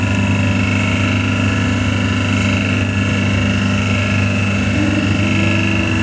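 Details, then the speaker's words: V40/V70 hydraulic cardboard waste baler on auto cycle, pressing at about 4 tons factory setting: smooth constant pump drone and steady whine through press stroke, no knocks or strain; normal. "so now it's pressing it's about 4 tons of pressure we set these machines up before they come out of the factory it's going to give it a good press"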